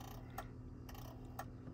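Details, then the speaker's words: 2001 manual Cummins diesel Ram truck (salvage purchase) that won't start: faint light clicks about twice a second from an aftermarket alarm relay chattering, found as the cause of the no-start. "i found the problem to the not starting look at that this this thing making that stupid clicking noise"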